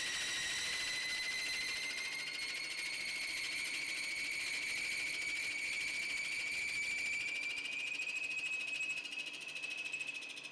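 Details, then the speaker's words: Woodturning a locust bowl with a OneWay captive hollowing system: a high, steady singing tone slowly rising in pitch, from cutter vibration and chatter; the turner suspects rotating the cutter downwards might have prevented it. "is that it does seem to have a bit of vibration you might be able to hear it in the video"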